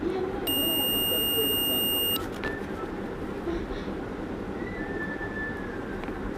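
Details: Multimeter continuity test on a 775 DC motor armature: probes across the commutator segments give a steady high beep for about a second and a half, showing the winding is continuous, no break; armature coil intact.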